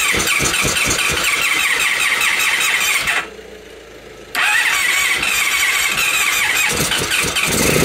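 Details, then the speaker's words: 1997 Honda Pan European ST1100 ABS, long neglected, cranked with plugs in on a jump pack while fed something flammable: a steady fast starter churn with a whirring squeal, a pause, then more cranking that never catches. Extended cranking, no start. "we'll see if it can turn over with the plugs in so we shall find something suitably flammable on the Shelf to feed it"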